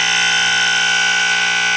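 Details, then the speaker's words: KF Industries Model 535-1 gas and smoke detector, possibly radio-transmission equipped, triggered with test spray. A loud, piercing, continuous alarm tone that vibrates the counter and stays on a while before shutting off. Delayed response, but it works properly. "Just needed a bit more spray. You can hear how loud it is. And it actually vibrates on my counter."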